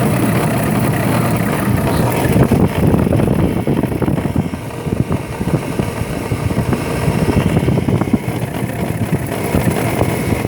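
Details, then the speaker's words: Hummer H2 6.0L GM V8 idling with a heavy, rapid knock-like rattle carried through to the exhaust, coming from a failing alternator bearing/shaft; with the belt removed the engine runs quiet, so the alternator needs replacing. "for this particular vehicle it makes a Fairly bad noise and seems as if the engine is knocking, so the Problem is it's very hard to diagnose it"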